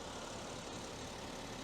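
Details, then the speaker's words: BMW X5 3.0 diesel, six-cylinder, 326,000 km, after injector repair for misfire and smoke (cylinder 5 injector fault logged before): steady, even idle rumble with no misfire, no warning lights, no smoke. "ama şu an herhangi har bir tekleme yok Herhangi bir Ar lamba yakması yok Duman da yok"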